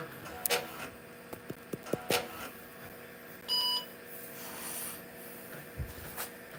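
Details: IBM PC/AT, damaged in shipping, powering on while old hard drive is being set up: a few drive clicks and ticks, then one short clean beep over steady fan hum; power-on self-test passed normally.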